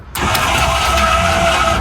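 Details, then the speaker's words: 2022 Heartland Prowler 271BR travel trailer, automatic stabilizer jack retracting: a steady, even electric motor whir for about a second and a half, then a clean stop. Normal retraction. "You have automatic stabilizer jacks, so I'll have click retract for a second."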